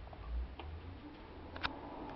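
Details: Relay click at startup of a McQuay water source (geothermal) heat pump: one crisp click as the relay pulls in over a low quiet hum, before the fan, the random compressor delay and the scroll compressor start; a normal startup step.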